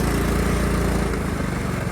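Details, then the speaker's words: 1999 Cub Cadet HDS 2135 riding mower after cold start in cold weather: even, steady low putter, no misses or hunting, idles smoothly; owner says it purrs, normal idle. "Listen to that Cub Cadet purr. That was on the cold start too."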